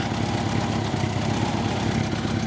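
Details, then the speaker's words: Old Honda Gold Wing idling: smooth, even low burble with no knocking, ticking or stumble. The start switch is suspected faulty; the carbs leak petrol and probably need a clean. "Well, that's good then. So, engine still runs good on this one."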